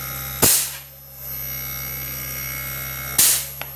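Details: Daikin R32 outdoor unit after fitting a 220 V fan: steady low electrical hum with an even fan whir, broken by two sharp bangs; the unit itself runs smoothly.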